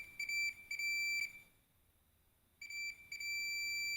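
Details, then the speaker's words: Fluke 287 multimeter in diode mode measuring a horizontal transistor: high clear beep in short repeated bursts, then a steady tone, reading about 0.028. Diode-mode beep on a conducting transistor junction. "Kami mengukur transistor horizontal. Oke, seperti ini, jadi akan menghasilkan suara seperti ini, ya ."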